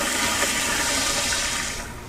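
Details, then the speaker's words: Sloan sensor-operated flushometer with EBV-375-A pressure cap gauge, pressure around 20 psi during flush, rising to static at shutoff: strong rush of water about two seconds, tapering cleanly as valve closes; normal flush. "and then once it shuts off completely the static pressure builds back up in the valve and it registers what the static pressure is in the facility"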